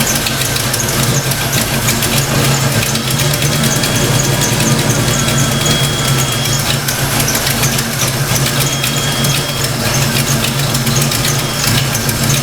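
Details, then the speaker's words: Fox-body Mustang V8 after setting distributor timing and reconnecting the TFI plug, during thermostat install: smooth, even idle with steady low burble, no misses or knocks, running better than before. "Sounds like it's running a little better already. It's actually idling."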